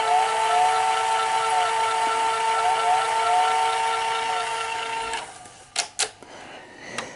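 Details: Sony SL-HFR30 Betamax VCR with tape loaded, fast forward: steady whine sagging and recovering in pitch, then cutting out; motor speed hunting, owner suspects idler/reel table motor capacitors, unconfirmed.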